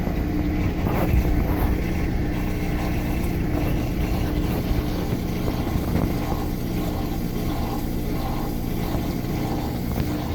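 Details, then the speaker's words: Washing machine after clearing a safety pin jammed in the drain pump: loud steady rushing drone and constant hum with no knocking or grinding, shaking the camera; normal fast spin cycle. "yeah that sounds like a washing machine again holy crap it's shaking the camera"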